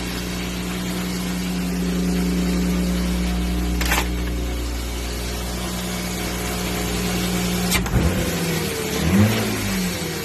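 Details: 1994 BMW 325 (E36) after a smoke test found and cured a vacuum leak behind mass airflow fault code 1215: steady even idle rises smoothly into a couple of clean blips and settles back without hunting or hiss; normal revving.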